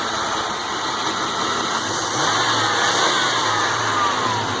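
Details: Original 5.0L (305) V8 with headers in a 1992 Chevy Silverado Z71 4x4 at 216,000 miles: even note rising smoothly under a throttle blip with no misses, knocks or rattles beneath a loud hiss; healthy engine.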